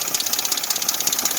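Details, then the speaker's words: Dodge 4.7 V8 at idle: fast, regular metallic clatter, about ten rattles a second, over the running engine, diagnosed as a slack, rattling timing chain. "So what do you guys think of that noise? Yep, that's what it is. It's the timing chain that was in it rattling."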